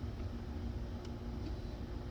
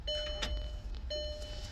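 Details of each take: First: VW Passat wagon (2006/2007) with intermittent no-start after stalling: fuel pump runs loudly during cranking at near 100% duty cycle, but sensor voltage never changes; steady low hum with faint constant tone; pump later proven weak. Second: VW Passat wagon (2006 or 2007) with intermittent stalling and no-start, key-on fuel pump prime: two short, even one-second whirs. Pressure now reaches 80 psi versus under 20 before. Normal fuel pump prime.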